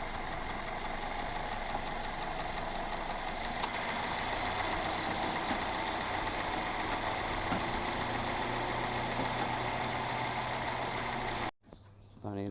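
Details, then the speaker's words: Toyota Altis idling after the radiator was replaced and refilled with coolant, with the AC switched on. Steady rushing fan whoosh over a quiet, even idle, with no rattles or scraping; the fan spins and everything sounds normal. "เราลองเปิดแอร์ดูนะครับก็พัดลมก็ติดหมุนดีนะครับปกติอ่ะนะ"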